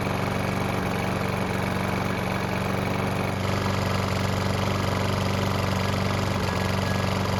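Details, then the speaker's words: Mower that wouldn't start after winter, after service and cable lubing: started first pull, about 10 minutes running with steady even drone, no misses, knocks or surging; running as it should. "So, it started on the first pole and it's been running for about 10 minutes."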